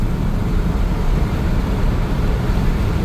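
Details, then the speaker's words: 1997 Chevrolet K1500 5.7L Vortec V8, 211,812 miles, rebuilt 4L60 transmission, new speed sensor, codes C0502/C0507: the engine drones at a steady high pitch near 5,000 rpm and never drops, trying but failing to shift into fourth gear; cause unknown. "Like, it's trying to go into fourth, but it just won't. Sounds like a damn hot rod. It's like you're just standing on it. Don't want to go into fourth gear."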